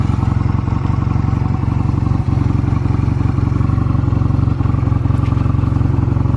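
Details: Stored Honda Rebel 250 Special (MC13-1103) start-up check: smooth, even thump at a steady idle, regular firing with no ticks, knocks or rattles; normal idle, no abnormal engine noise.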